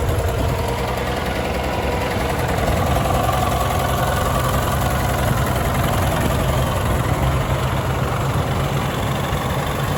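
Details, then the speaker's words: Farmall tractor (1949 H or 1968 656) with past cutting-out fuel problems, after fuel tank work, choke all the way in: steady, even low chug, no knocks or stumbles; normal smooth idle. "gonna let this thing run for a while hopefully it stays running sounds good"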